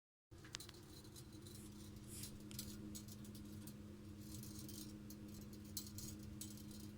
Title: Ticking noise from boiler pipe